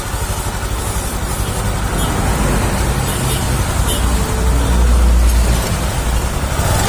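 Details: Honda Vario 150 LED (K56) scooter CVT after cleaning and reassembly: steady, even low hum with no grinding or rattling. The earlier rough knocking is gone and the belt drive runs smooth and normal.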